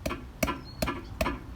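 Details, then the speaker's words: 2007–11 Honda Civic Si sedan with K24A2 swap: transmission mount tapped during mount check, four sharp hollow smacks about 0.4 s apart as it knocks in its bracket; loose transmission mount. "and basically just, what I did was I tapped it, and you can hear it. There's a smacking, like you hear that little"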